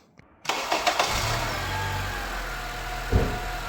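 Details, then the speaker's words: Acura/Honda engine run with the serpentine belt removed to isolate the noise: cranks, catches and settles to a smooth, even idle with no knock, rattle or whine; engine healthy, noise traced to the AC compressor. "All right, so there you guys go. That's how the engine sounds without the belt."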